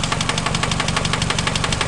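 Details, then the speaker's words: Engine at idle with rod knock: sharp, evenly spaced knock about ten times a second keeping time with the crank, slower than the valves; sounds like the top but comes from below the cylinder head. "you know that that that noise is not coming from the valve train all right which is the top right here the top of the cylinder head that's coming from below it even though it sounds like it's on the top it's coming from underneath down here"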